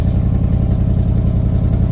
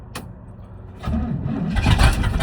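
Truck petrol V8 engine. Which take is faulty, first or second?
second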